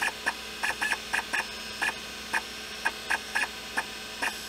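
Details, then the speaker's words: IBM PS/2 Model 30 hard drive with a very scratched platter, after a homemade head recalibration fix. Irregular sharp ticks and chirps in quick bunches over a faint hum; the head is not noisy. Normal head seek clicks. "I'm super happy with the outcome and the head is not even noisy on that very scratched platter, I'm actually surprised."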